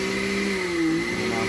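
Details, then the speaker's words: Blender after repair, blade assembly retightened with no play: smooth steady motor whine that dips briefly and recovers, no grinding or rattle from the coupling; runs properly, normal running. "está perfecto el giro se desconecta no hay ningún problema"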